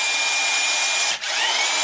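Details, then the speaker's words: 20-year-old DeWalt electric impact wrench breaking in new brushes, run forward then reversed, torque noticeably better: steady high motor whine with one brief speed dip, otherwise even: normal running after brush repair. "we run them in that way we're going to reverse it we're going to run them in that way boy you can feel the torque difference in this bad boy"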